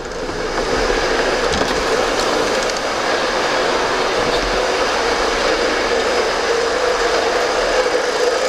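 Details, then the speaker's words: VW Polo idling: steady rushing, rattly whir with droning tone from the gearbox area; gearbox to be removed to determine whether the dual-mass flywheel or the clutch is at fault. "E aí ó e esse é o barulho pessoal vamos lá e Eu espero que você tenha escutado aí esse é o barulho do Polo então agora é remover câmbio e descobrir se a placa dupla de rolamento ou a própria embreagem está errada né"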